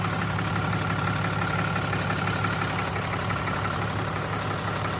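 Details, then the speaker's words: 6.7 Cummins diesel just after installing a BD grid heater fix kit and bleeding air from the fuel system, first start to check for leaks: even, steady idle clatter with no misses, knocks or surging; sounds healthy. "Okay, now that we've bled the air out of the fuel system, we're gonna fire it up and check for leaks."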